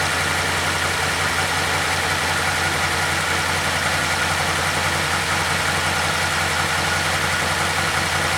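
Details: 2012 Chevy Caprice PPV 6.0 V8 idling after repairing damaged camshaft position sensor wires (P0340, P0341) following a DOD delete, codes cleared by the battery disconnect: steady, even idle with a smooth low rumble, no misses or ticking, normal.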